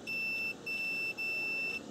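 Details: Bench test of a second 1997 Nissan Maxima cooling fan relay, powered on terminals 1 and 2, with continuity checked across its contacts. A clean, steady high meter beep holds about half a second at a time, so the contacts close properly.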